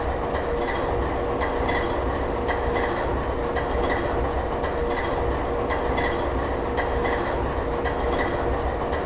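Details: GE 7FDL16 diesel at low idle: slow, heavy thrum with a faint steady hum above it, running evenly at very low speed; a healthy low idle.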